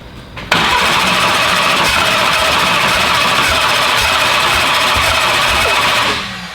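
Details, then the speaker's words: First fire-up attempt of the build "Slick Rick": a steady hissing starter crank with no firing pulses. The cam sync was pulled and may be 180° out. The battery is low, and the ignition reference angle and cam sensor still need setting. Cranks, no start. "it doesn't have that 180 out sound where it's like boom boom boom you know what I mean all right so our battery's kind of low been cranking on it for a while"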